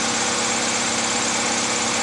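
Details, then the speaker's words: 2001 Honda CR-V after the distributor rotor screw fix: an even, steady idle with no stumble, miss or popping over a hissy background. Normal idle. "it turns on perfectly fine i accelerated it did not hesitate it did not backfire misfire started"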